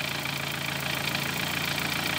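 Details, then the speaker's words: 2013 Dodge Forza at idle, coil waveform tests showing no good burn on one or both of cylinders 2 and 3 (coil or mechanical fault suspected): lumpy, irregular idle with dropped beats over a constant hiss. Misfire. "aquí se está mal como tal no hay un quemado bueno en estos dos cilindros o en uno de los cilindros"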